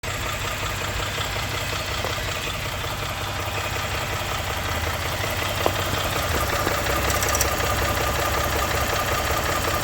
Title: engine knock 1